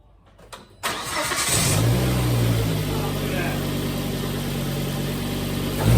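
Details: 2001 Volvo five-cylinder, towed in for a misfire, first start after repair: it catches after a short crank and settles into an even, steady idle with no stumble, all five cylinders firing cleanly.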